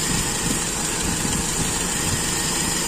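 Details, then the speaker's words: Toyota Kijang with Aisan carburettor after disassembly, idle mixture check: steady, even idle with an unchanging hiss and no misses; mixture judged normal, neither too rich nor too lean. "ini campuran sudah menurut saya Oke normal tidak terlalu kaya tidak terlalu miskin sedang-sedang saja"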